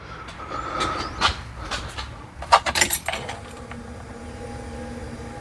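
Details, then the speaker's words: LS-swapped 1984 Bronco II with Holley EFI, started after sitting four or five days: keys rattle, a brief crank, then it catches immediately and settles into a steady idle; a clean, healthy start. "I mean this thing just starts up like a brand new Chevy Silverado just starts right up there's no cranking there's nothing it just pops right off runs super smooth"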